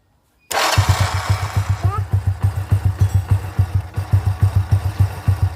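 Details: Honda C800 (C100-based engine) after regluing the loose plate in the magneto cover that caused ticking: starts first try and settles into an even single-cylinder putter about three beats per second with no ticking.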